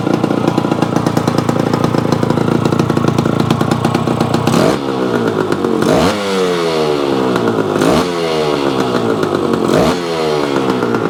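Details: Yamaha AT-1 converted to CT-1, first start-up after rewiring, oil pump priming and carburetor fix, choke on, pre-mix fuel plus oil pump; crisp two-stroke buzz rising and falling cleanly through several throttle blips, no misfire, healthy.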